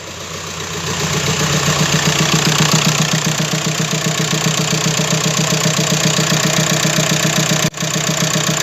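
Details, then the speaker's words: 2007 Skoda Fabia converted from 1.2 three-cylinder petrol to a donor 1.9 PD turbo diesel, first runs with warning lights on and no exhaust fitted: loud, raw, rapid chuffing idle with a harsh open-pipe bark and steady beat. "I've got a few warning lights on, but that's not really an issue. Fuel one, unfortunately. There's no exhaust either."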